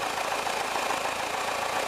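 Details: 1979 VW Westfalia Bay Window camper, air-cooled engine idling, charging 13.6 V through relay: steady even cooling-fan whir over smooth idle, no knocks or misses; normal idle.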